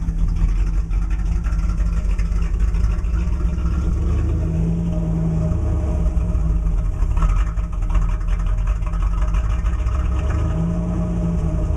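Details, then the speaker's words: 1987 IROC-Z V8 on a cold start after sitting a few days: a deep, uneven lope with stumbles, rpm fluctuating drastically to almost below 500, which disappears as it warms up; cause unknown. "so that the the RPM's fluctuate um from almost below 500 well right now it's warming up but it fluctuate quite drastically at idle and then as it heats up it disappears but I'm trying to figure out what's causing this"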